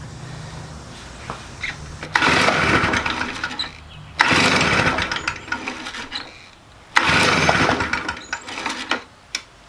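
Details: Stihl BR400 leaf blower, about 20 years old, flooding every start attempt before carburetor replacement; three rounds of rapid pull-cord yanks with only brief coughs, never runs, flooding from faulty carb.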